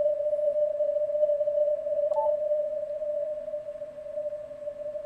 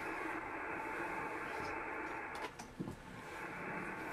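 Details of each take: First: Ham radio receiver on CW with a 300 Hz roofing filter, digital narrowing and digital noise reduction (algorithm 15): steady pure ringing tone over faint hiss. It sounds like filter ripple but is interference from a switching power supply. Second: Ham radio receiver after unplugging an interfering power supply: even soft hiss without buzz or rasp, ordinary band noise; the power supply noise that had sounded like filter ripple on CW or atmospheric noise on SSB is gone.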